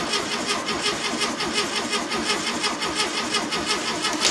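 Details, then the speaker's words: 1969 VW Beetle, stored and unrun for over 25 years, with a new battery and fuel fed in, in neutral. Even starter churning that never fires; no spark is visible and the oil light stays on. Cranks with no start. "We have spark in there? I don't see any I don't see any spark. That's really slow fuel."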